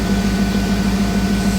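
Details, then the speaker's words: Jeep TJ on newly installed ACES Jackpot EFI replacing MicroSquirt, cold garage: short steady idle with even low pulse, no misses, pings or stumbles; sounds much better than the old setup, which shook. "it is cold in here but it sounds much better"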